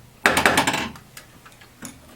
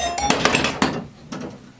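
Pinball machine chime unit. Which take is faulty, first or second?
second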